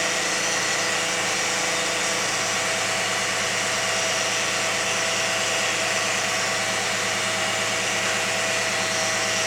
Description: 2001 Lexus RX300 making Whining Noise